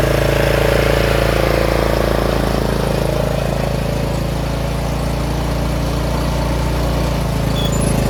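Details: Troy-Bilt 30-inch rear-engine riding mower just reassembled after carburetor work, with broken throttle plastic so the lever won't stay set. Steady, even single-cylinder putter at about four pulses a second, no knocks; runs and drives normally.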